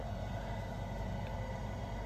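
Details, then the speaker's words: Bosch Greenstar combi boiler with heating fault, after a reset, running in low fire: steady, even low rumble with no surging or cut-outs; normal boiler running. "well I hit the reset and it came back on it's running in low fire now"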